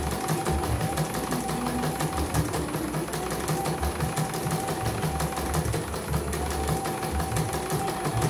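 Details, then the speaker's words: CNY embroidery machine from Mojokerto, arrived totally jammed with heavy rotation after prior service, tested on small frame after repair and calibration; fast even needle clatter, steady rhythm, no catching or heavy thumps: head stitching smoothly, normal. "Oke, langsung lancar, nggak ada kendala. Ini pelan caranya. Oke, normal ya."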